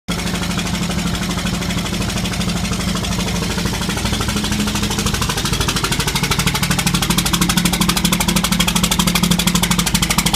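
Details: 5.9 Common Rail diesel idling with nobody in it, six bad injectors: loud, uneven clatter and lumpy rhythm.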